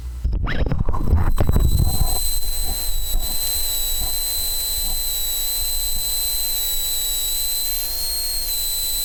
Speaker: It is making a weird noise. Can you guys hear that? Voltages look reasonably good. I am concerned about that noise though.